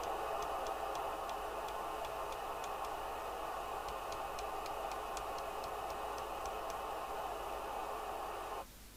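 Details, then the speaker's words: Kernow DW900 CB27/81 UK FM CB radio from about 1990, receiver picking up loud steady rasping hiss with faint fast ticking, then abrupt drop: RF interference from a 1970s 5ft fluorescent light refitted with an electronic ballast. "I replaced the inid with a really expensive electronic ballast which was Swiss made which I got from RS Components and it causes so much interference it's unbelievable"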